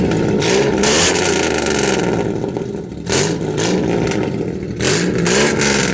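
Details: Cheap SN95 Mustang V8 race car after head gasket repair, running with no mufflers: harsh, raw bark through repeated rev blips that rise and fall sharply. Loud open exhaust.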